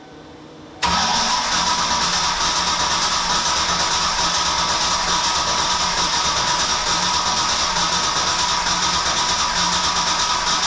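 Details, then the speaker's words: Ford Mustang project car after fuel system replacement, fuel pressure set to about 54: starter kicks in abruptly and drones at a sluggish, uneven pace of about three turns a second; they suspect not enough voltage. Slow cranking. "sounds like there's not enough voltage does it sound like that to you"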